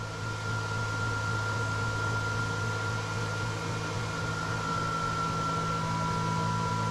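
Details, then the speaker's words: Dairy milk house transfer pump kicking on to pump milk out during milking, repeatedly filling and pumping down: steady low motor hum with faint high whine running evenly; normal pump operation. "and there it is it just keeps doing that the whole time we're milking fills up and pumps down and uh pretty simple really it uh it works works pretty well pretty efficiently"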